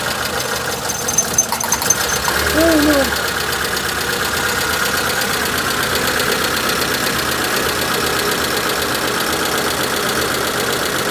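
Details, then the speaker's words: Proton Satria 1.5 petrol engine, pulled from a field after sitting abandoned, idling: uneven lumpy beat from a single-cylinder misfire; swapping injectors moved the misfire between cylinders 1 and 4, so the injector is faulty. "Yeah, right. That injector's fault too soon. That injector is no good."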